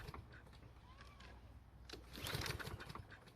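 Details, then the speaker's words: Husqvarna walk-behind trimmer, cold, choke closed, gas in tank: quick rattling pull-start cranking, brief faster burst, no catch; cranks but won't start, later traced to clogged carburetor main jet. "unfortunately it didn't start so we're gonna have to keep looking for a problem"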